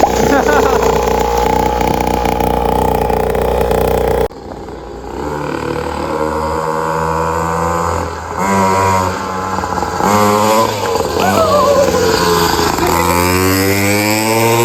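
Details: Temu 50cc dirt bike fitted with a built high-compression motor in place of the blown stock 49cc motor: clean revs up and down with a deep, chunky note, pulling hard on each blip, with much more power than stock. Normal running.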